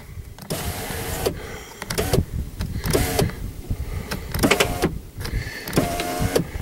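Window motor whirs in repeated short runs with uneven pitch and clicks at each stop; the power window mechanism sounds strained. Cause suspected, not confirmed.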